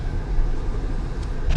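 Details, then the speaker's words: 2015 Honda Pilot after wheel bearing replacement, hub nut torqued, road test at about 40-60 mph: only steady tyre and road rumble, no whine or growl rising with speed; earlier bearing noise gone. "Now the noise is not there no more."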